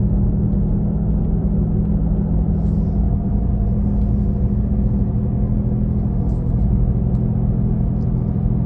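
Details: 2017 Nissan Leaf while driving: steady deep droning hum with a low tone from the rear, like a gasoline engine, loudest at 40–50 km/h but present at other speeds; engine-like rumble, cause unknown.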